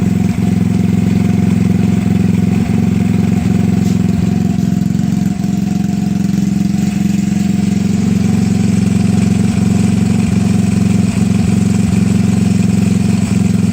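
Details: Honda Ruckus scooter with GY6 150cc single-cylinder engine, after replacing a bad starter solenoid: starts fine and holds a steady, even idle with a regular putter, no misses or knocks; normal idle.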